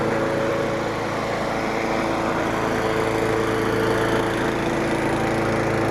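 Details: Craftsman 917.388834 push mower, Briggs & Stratton Classic flathead single-cylinder, after carburetor work and priming, possibly wrong OHV-type spark plug: runs good with a steady, even beat, no stumbles or knocks.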